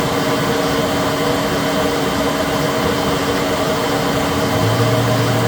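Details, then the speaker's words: Citizen L20 CNC Swiss lathe sub spindle running at 7,000 rpm: steady smooth hum with a constant tone and no knocking, rumble or rough spots; spindle bearings sound healthy, normal running. "This is the sub spindle at 7,000. Sounds very good."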